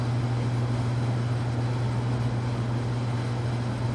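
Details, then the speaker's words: Casablanca Panama ceiling fan at full speed after new bearings and flywheel, previously bearing scraping: constant smooth hum, no grinding, ticking or wobble; normal running. "so with new bearings and August and flywheel this thing runs fabulous absolutely imbalance there's no wobble whatsoever anywhere in the motor pool speed absolutely silent"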